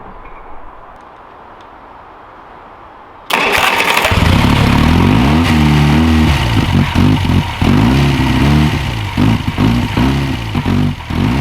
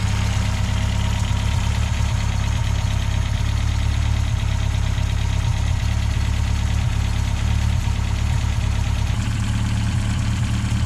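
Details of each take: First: 1969 Reliant Regal 850cc engine on bench test: uneven, lumpy idle with irregular dips, as if running on three cylinders. Rough idle. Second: 1969 Reliant Regal 850cc engine on bench test with the SU carb suspected of a blocked jet. Plugs were dry; it fired straight away once a Weber carb was fitted. Steady, even, smooth idle with no misses or knocks.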